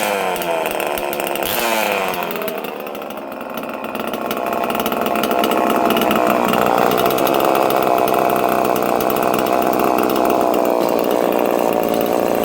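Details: Homelite chainsaw with no decompression valve, untuned and in mint condition. Crisp, steady two-stroke buzz holding even revs with a clean high rattle, no surging or misfire; healthy normal running.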